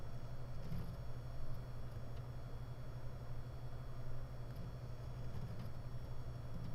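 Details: WD Red 12TB helium NAS hard drive, SMART good, 29–44 °C: steady spinning hum broken by sharp irregular ticks every second or so when heads return to base, audible from a distance, strong vibration; all four drives same; head parking tick.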